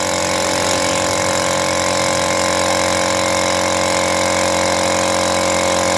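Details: Lakoni air compressor after overhaul replacing the worn 6003 crankshaft bearing that caused the noise: steady, even pumping beat with no rumble or knocking; runs quiet and healthy.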